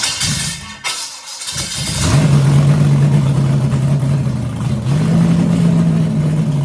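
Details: 6-inch rodded 350 Chevy V8 (HQ Holden Kingswood project), run after fixing an MSD box earthing out through the white wire; held on throttle with a drone rising with revs; won't settle to idle; owner notes a couple of vacuum leaks.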